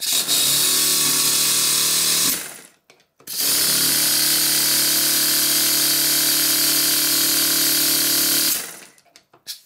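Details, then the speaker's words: Stuart Double 10V model steam engine after both slide valves were made identical in size: even, steady hissing run with no lopsided beat between strokes; both cylinders giving about equal power, running balanced. "now that the slide valves in each of the valve chests are identical in size the power output from both of the cylinders is about the same"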